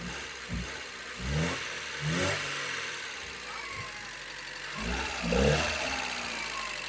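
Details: Alfa Romeo 145 Cloverleaf revived after 8 years sitting: engine runs quietly and a few short throttle blips rise and fall cleanly; runs and revs normally, just needs oil circulating.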